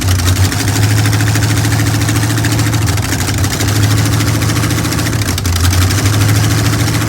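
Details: Chevy Nova with a temporary V8 on its first start; deep, even V8 rumble at a steady idle with no knocks, misses or hunting, sounding healthy.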